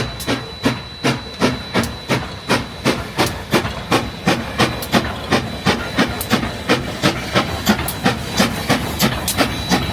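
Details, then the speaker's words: Real-world steam locomotive example showing four chuffs per revolution: crisp, evenly spaced chuffs at about three per second with steady hiss between. A normal, healthy four-beat exhaust per wheel turn. "So as you can see with the real world examples, you can hear those 4 chuffs per revolution."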